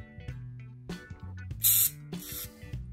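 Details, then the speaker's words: Shimano Di2 front derailleur servo motor (FD-RX815/R8050/R9150) opened up: small motor hum in short runs broken by sharp clicks and whizzing bursts as the gear slips, because its pin slides out and the gear comes loose. "me zoom in pay attention to that pin so because that pin slides out like that that gear is coming loose"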